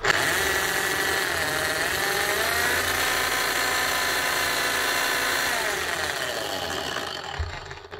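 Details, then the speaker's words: Bosch GSH11E demolition hammer damaged by wrong assembly, test run: loud, harsh motor whine with an uneven rattling hammer beat of about three blows a second, then it winds down; it runs and hammers, but the armature is damaged. "now this here is rot off the machine here we go yeah it doesn't sound great"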